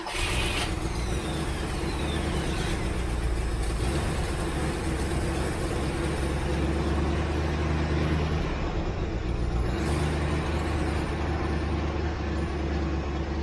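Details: 1967 Ford Mustang carbureted V8 after months of sitting, restarted: a steady, even rumble for over ten seconds with no misses or surging; runs cleanly, though the carburetor seeps fuel.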